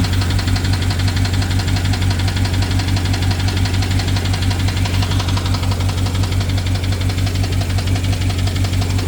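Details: BMW 750Li with N63 V8 at idle after replacing the fuel injectors and high-pressure fuel pump. Quick, even tick over a slightly rough beat, with a misfire reported; the owner wonders if it is the timing chain, unconfirmed.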